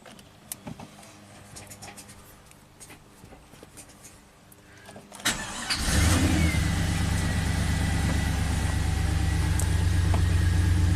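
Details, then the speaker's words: 2004 Pontiac GTO, 5.7 LS1 V8, 6-speed manual, 34,000 miles: cranks, then a low, lumpy idle with an uneven stumble. Misfire counters on cylinders 1 and 8 are counting up, with 8 more consistent; it feels like a single-cylinder miss. "It's definitely misfiring. 1/8's counting up. One and 8. It does feel like a single cylinder."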